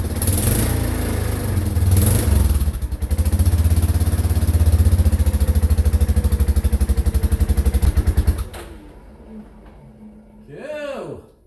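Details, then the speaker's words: Yamaha Kodiak 450 ATV during a rebuild, start after fitting the tank and the cleaned exhaust with its big muffler, battery charger on. A single-cylinder thump revs up, settles to an even beat and shuts off; it sounds healthy and runs normally. "I was kind of starting to think it was going to sound a bit wussy with that big muffler on it, but it doesn't sound too bad at all. It sounds pretty good."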